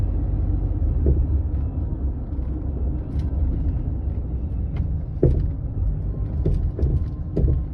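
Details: Land Rover Freelander 2 driving: sharp isolated thuds over bumps under steady road rumble, several close together near the end; silent blocks, bearings, stabilizer link fine; rear shock absorber knock.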